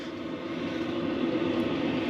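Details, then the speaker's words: Vevor 8 kW diesel heater mounted outside a cargo trailer camper conversion, about half a tank of fuel, small muffler fitted, just started and beginning to blow warm; steady, even roar of fan and burner with the fuel pump clicking audibly, no surging or rattles; normal running. "You can just hear the fuel pump clicking outside, which is nice."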